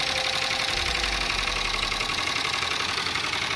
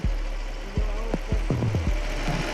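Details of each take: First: Dodge Durango 5.7 Hemi, loud ticking and dumping raw fuel into the catalytic converter: hard, sharp valvetrain ticking about three to four times a second over a rough idle; head pulled, broken rocker shaft found as the cause. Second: 5.7 Hemi V8 after fixing a loud top-end tick (broken rocker shaft replaced): low, even idle rumble, no ticking or knocking; normal, quiet idle.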